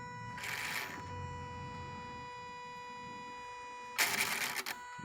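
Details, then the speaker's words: 2005 Kawasaki Brute Force 750 V-twin ATV, belt light/limp mode reset, wire unplugged, key on 10 seconds three times: two short high-pitched electric whirs over faint hum; normal actuator cycling at key-on. "you turn it on for 10 seconds turn it off usually you wait till you hear that noise"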